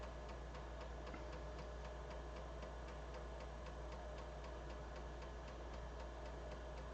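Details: BBC Micro floppy drive after head cleaning, formatting the second side of the first drive; steady quick ticking about four clicks a second over a quiet motor hum, head stepping cleanly. Suspected fault likely just dirty heads.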